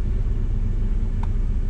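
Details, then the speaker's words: Car after a misfire was fixed by replacing a coil pack: low, even rumble at idle with no stumbles or skipped beats; firing on all cylinders, normal idle after repair. "if you can hear it it's running a lot better that's a job well done"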